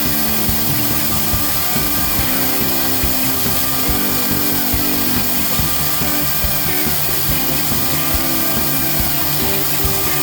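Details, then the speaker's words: Newly installed VFD spindle upgrade on a Genmitsu ProverXL 4030 desktop CNC cutting metal with a non-coated bit, 2 mm depth then 0.1 mm finish pass: steady spindle, even chatter, no bogging or pitch drop; smooth healthy cut. "I didn't hear the motor bogging down or the spindle bogging down at all it sounded like a very smooth um cutting even at 2 mm"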